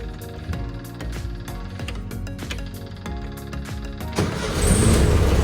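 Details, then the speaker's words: 1957 VW Beetle oval window ragtop, first start after filling the carburettor bowl with fresh fuel: music, then engine fires and settles into loud, steady run, valves sound healthy, no tapping. Engine starting and running. "sounds good sounds like the valves are pretty healthy there's no crazy uh tapping"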